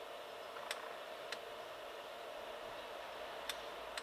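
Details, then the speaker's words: Homemade controller on an H calorie Chinese diesel heater, first test, induced flame-out (possibly flooded), down to 60 degrees: faint sharp ticks every half second over a quiet hiss; dosing pump still pulsing fuel, thermostat range needs changing. "I need to change the range on that thermostat because we've got down to 60 degrees now and we're still pulsing the dosing pump"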